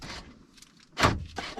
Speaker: There's one. I just didn't hold it down long enough, I guess. Did you guys hear it unlock and lock?